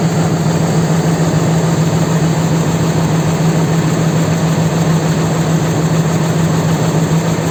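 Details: 4.7 engine at idle: loud steady idle with a dull knock repeating about twice per second; cause unclear.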